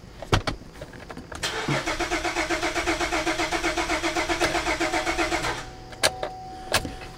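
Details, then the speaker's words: 2009 Buick Enclave with rodent wiring damage and no communication to the fuel pump control module. Steady cranking at about four beats a second that never catches: crank, no start, fuel pump not powered, fuel pump relay control circuit open. "i still have a fuel pump relay control circuit open"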